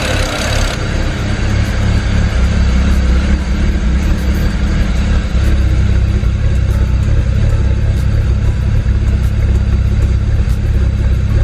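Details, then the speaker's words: 2008 BMW 335i N54 twin-turbo inline-six heard at the rear: loud, choppy idle with uneven low thumps and wandering rpm. It is in full misfire, rich and smoky, from a failed bank 2 sensor 1 oxygen sensor, with no check engine light. "so it's in full-blown misfire mode right now but not enough to trip a check engine light yeah but it's very choppy you can see the RPM vo moving up and down"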